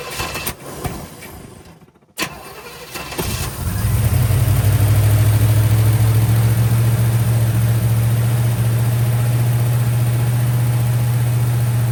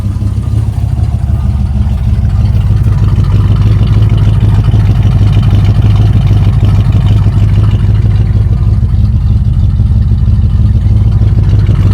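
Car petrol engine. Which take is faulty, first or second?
first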